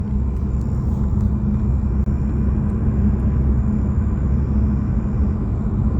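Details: 2024 Nissan Altima while driving: a steady low buzzing rattle from behind the pillar over heavy road and engine rumble, starting at about 2000 rpm and stopping when revs drop: interior trim rattle.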